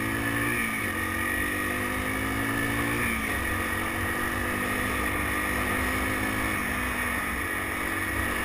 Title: BW200 Rattling Sound